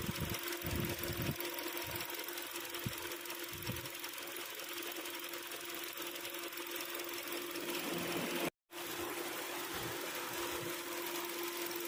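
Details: Hyundai Sonata DN8 2.5 at idle: a fast, busy metallic clatter rides steadily over the engine without letting up. Internal engine rattle, cause not yet pinned down.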